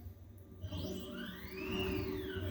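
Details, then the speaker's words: Custom-built CNC router jogged in Mach3 MPG mode after correcting steps-per-mm and feed rate to stop stalling, X axis moving right and back: smooth motor whine rising and falling in pitch, no stutter or missed steps; normal stepper motor jog. "So இப்போ இது பார்த்திங்கன்னா இப்போ X+ கொடுத்தா இந்த right side move ஆகும். X- கொடுத்தா இப்போ அவ்வளோதான்."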